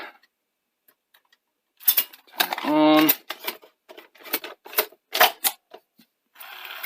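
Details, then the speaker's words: Sony Betamax SL-F1 (F1UB) after replacing worn-out heads with nearly new heads and a good upper drum: crisp clicks and clunks with a brief motor whir as the tape threads; tape loading sounds normal and gives a great picture. "go that sounds right and that means nothing and we have a great picture"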